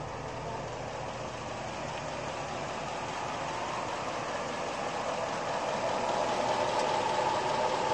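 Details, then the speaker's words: LS engine with top-end rebuild and Comp Cams 54-525-11 camshaft, Comp Cams Evolution hydraulic roller lifters after 38 hours run-in, heard standing some distance from the truck: steady idle with only a faint regular tick under the exhaust; lifter noise acceptable, far quieter than previous 8957 lifters. "at this point the lifts are noise you have to listen hard for it but at least you can't hear it coming down the road a quarter mile away"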